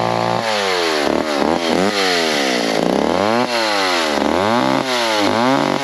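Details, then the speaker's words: McCulloch 10-10 / Pro Mac 55 chainsaw, old saws revived after years, cutting: revs rise and fall under cut with wavering uneven pitch; owner thinks it needs a little adjustment. "looks like it needs a little adjustment sounds like let me uh play with a little bit and we'll make another few cuts"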